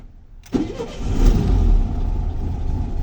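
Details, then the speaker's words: VW Beetle (vocho) engine, unknown history, sitting two days after transmission oil top-up: cranks until fuel rises to the carburetor, then catches sharply and settles into steady low idle; very cold, carburetor believed dirty; normal start. "está, ya subió la gasolina, ya encendió. Está muy frío."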